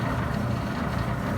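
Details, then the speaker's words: Maytag LDG312 gas dryer after replacing gas valve ignition solenoid coils: steady low drum rumble with an even roar as the burner relights for another heat cycle; before, it lit once and never relit. Normal. "we're about to hit another heat cycle here see before it just did it one time and then it turned off and didn't turn back on there we go looks good to me"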